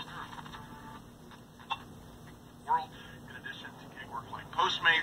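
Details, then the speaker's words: 1984 RCA AXR054W portable AM/FM black-and-white TV: the set's voice comes through buzzy and ragged, crackling on every syllable, and FM is nearly absent; the speaker has a stuck or rubbing voice coil. "so when the speaker's not moving it sounds like garbage so the speaker's got a stuck voice coil or a rubbing voice"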